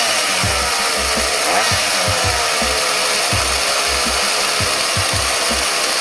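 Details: Homelite UT series chainsaw after carburetor replacement (tune-up), under cutting load: strong, steady high-pitched two-stroke buzz holding speed through the cut without bogging; normal running.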